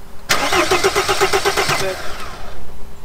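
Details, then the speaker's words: T1N Mercedes Sprinter diesel not starting: starter cranks in even beats, about five a second, never firing; no diesel spraying from injectors because they get no electrical power, so no fuel reaches cylinders. "no power to your injectors no electrical power your injectors are not opening so so I'm not getting fuel inside the Sawyer's"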